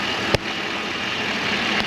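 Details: 2007 Chevrolet Monte Carlo SS 5.3 V8 after power steering rack and hose replacement: short stretch of steady, even running with a hissy top end, no knocks or misses, normal idle.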